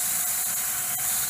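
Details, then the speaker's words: Axminster Deluxe bowl sander with 120-grit discs, contact point at the wheel's sweet spot: steady airy hiss with no chatter or grab as the pad spins and cuts cleanly, normal sanding contact. "the sort of sound you want to hear. Quite happily. So it's all about trying to find a sweet spot on this wheel that spins it, and you get the best sanding."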